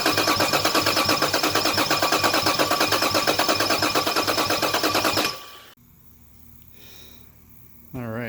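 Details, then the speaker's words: Toyota Cressida with 2JZ engine swap and LQ9 coils, fuel system rechecked with no leaks: starter cranks evenly about three turns a second for five seconds, never catches, then stops; crank-no-start later traced to missing power to injectors and coils. "try to start it didn't get anything but I did double-check the fuel system while I was at it didn't find any leaks this time"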